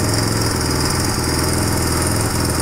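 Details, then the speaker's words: 1997 Suzuki DR350 single, cold on choke: fast, choppy idle with uneven beat and occasional stumbles; rough idle, also backfires, dies on throttle, hard to start; suspected cam chain, cam timing, CDI, decompression or vacuum leak. "when I start this up on choke right when it starts the idle starts to fluctuate so listen for that if it's steady we may have made some positive [Applause] change"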